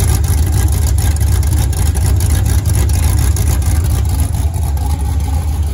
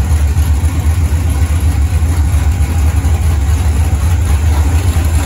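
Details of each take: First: Freshly built 5.3 LS V8 on its first start with open headers, an HP Tuning tune and an aftermarket 90 mm throttle body: a deep rumble with sharp pops and a surging idle. At about 70°F it entered closed loop, the short-term fuel trims pulled fuel, and rpm climbed. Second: Freshly built 5.3 LS V8 with open headers and a 90 mm throttle body, after the TPS was clocked by grinding the timing tab to get the correct voltage: a deep, even idle with no miss. It starts snappy and revs well, with a slight stumble returning to idle that should be tunable via the IAC.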